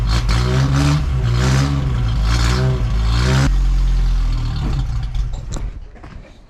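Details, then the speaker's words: 1985 Toyota 4Runner after engine rebuild: engine runs lumpy at a steady throb, then drops and fades out, stalling; cause was a connector left unplugged behind the ECU. "I figured out the 4Runner. There was a plug that was unplugged behind the ECU that was making it not run properly."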